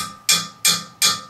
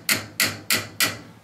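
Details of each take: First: Tapping a drain pipe from the upstairs sink and bathtub: four sharp hollow, bright ringing taps; pipe sounds clear of buildup because it carries only regular water, not oily dish waste. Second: 1.5-inch copper kitchen drain pipe tapped: four short, dull, solid-sounding taps where oily dish waste collects, indicating partial blockage from grease buildup.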